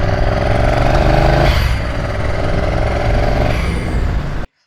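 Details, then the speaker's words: Twin-turbo bobber twin rebuilt after a blown head gasket, run on its standard injectors and the previous map after a test ride: an even, steady engine drone with a brief throttle change and no knocks or misses, running smoothly. "I've also been out for a little spin on it just to make sure everything's running okay and it's all working."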